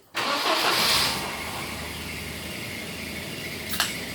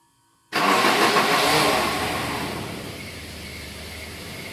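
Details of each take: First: 1991 Volvo 245 wagon, stock, 250,000 miles, after starter work on a starter that sounded like a wood chipper: short, eager crank catching almost at once into steady, even idle; starter engages cleanly. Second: Volvo daily driver with 250,000 miles, stock engine: harsh grinding roar on cranking like a wood chipper, then fading into rough run; starter motor failing, needs replacing.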